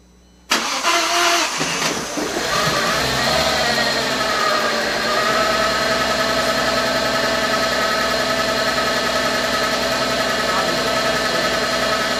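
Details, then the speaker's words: VW B5 started for the first time after sitting 1.5 years, oil primed first, new starter fitted: engine catches, stumbles unevenly with a nasty misfire for a couple of seconds, then smooths into steady idle; a known vacuum leak is also audible. "it had a nasty misfire it seems like that is settled out but i could hear a vacuum leak there was a vacuum leak i already knew about"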